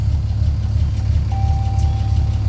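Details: 2014 Ram 3500 6.7 Cummins diesel starting after a connector repair for a won't-start or cuts-off-while-driving fault: deep, steady rumble with even firing, smooth healthy idle.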